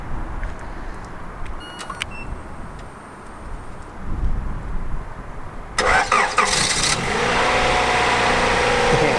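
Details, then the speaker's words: 1980s Honda Prelude INX (JDM import), started via period aftermarket remote starter: a few clicks, brief crank, catches straight away and settles into steady even idle; normal start. "it warmed up and it's been running a little bit now so it seems to start up like straightaway it doesn't keep going to start weather and yeah it seems like whole functions perfectly"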